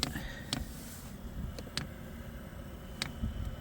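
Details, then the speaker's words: Hcalory 2 kW diesel heater in a 2016 Town and Country minivan, priming a long fuel line: crisp single ticks about once a second; the dosing pump is slowly pushing fuel, normal priming. "clicking now for sure and I don't know if you can see down there but it's pushing fuel slowly but surely"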